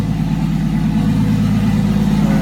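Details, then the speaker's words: 2JZ engine with a 70 mm turbo, first start-up after oil fill: even, steady exhaust note, quieter than expected, with no knocks, ticks or misses. Normal running. "Yeah, it's not as loud as you'd think. It's about as loud as I expected it to be. Turbos actually become like super big mufflers as you install one. Sounds good though, honestly."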